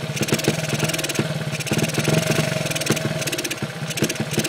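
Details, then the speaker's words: Honda ATC70 with points ignition: quiet small single idles with quick even pops, but stumbles and chokes when throttle opens instead of revving; starts easily, no smoke, owner suspects timing not advancing, cause unconfirmed. "don't want nothing to do with gas. But she will sit there and idle."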